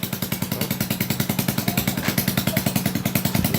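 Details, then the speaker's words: Motorcycle kick-started after fixing carburetor fuel overflow: even, steady putter at about three and a half beats a second with no misses; normal idle, overflow gone. "Đó, nổ bình thường các bạn. Đó. Giờ nó nổ bình thường mà cái hiện tượng chảy xăng dư của nó là hết rồi nhá."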